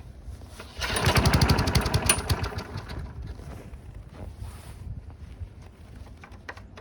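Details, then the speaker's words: Cheap abandoned Briggs & Stratton mower run in cold snowy weather, dripping black stuff from the muffler: a loud, uneven chug that fades and stumbles as it runs out of gas. Owner suspects junk in the carb; the air filter was left unchecked. "dripping a little black stuff out of the muffler probably has junk in the carb"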